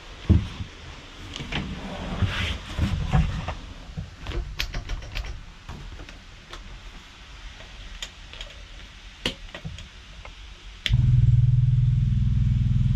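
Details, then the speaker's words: Rebuilt Ford Crossflow race engine with loaned cylinder head, first start after replacing a cracked part: clicks, then it catches at once and settles into a strong, even, steady run before warm-up and leak checks. "of course at the moment seems like it runs through a winner we'll see how it goes"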